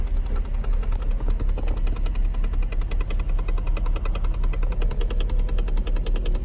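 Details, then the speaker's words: Cadillac with air not flowing out the vents: a rapid, steady train of sharp clicks over a low hum from the broken blend door actuator box inside the dash. "anyway as you heard by the clicking the blend board box is bad inside"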